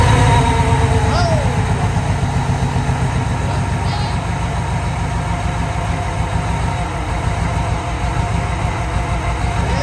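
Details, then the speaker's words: 1995 Chevy K1500 half-ton long bed 4x4, 4.3 V6, first start after sitting 4–5 years: low, lumpy, uneven idle that wanders and never smooths out; rough running, cause suspected but not confirmed. "it's running like duty, but it's running."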